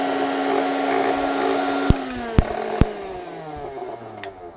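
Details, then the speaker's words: Philips mixer grinder after a fix for excessive noise: smooth, steady motor whine with no rattle from the jar, then a few light clicks as it winds down; much quieter than before, running normally. "Hello friends आप देख सकते हो पहले कितनी आवाज की और बिल्कुल कम हो चाहिए हो गई है आवाज जितने आवाज होनी चाहिए उतने और इसके अंदर है"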